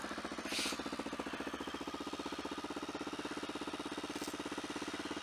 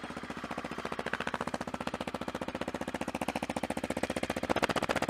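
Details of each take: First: Motorcycle warming up from a cold start in winter: steady pulsing beat near two per second over the idle, an odd vibration heard only on startup, cause unknown; headers due for replacement. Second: Motorcycle warming up after winter riding, with worn headers, shock and chain: even, steady thumping at about 220 beats a minute with no knocks or misses. It's idling cleanly, though the owner notes an odd vibration only on startup.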